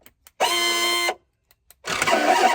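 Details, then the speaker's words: Mercedes G500 G-wagon door lock actuator, after reconnecting its unplugged wiring: two short buzzing bursts, the second rougher and grating; it works but sounds terrible, so it will be replaced. "all right it's terrible sound but but it works so when the guy told me the door actuator was bad I actually did order a new one and then I saw that it was unplugged so I thought I wouldn't have to do it but with that noise there we're going to replace that thing"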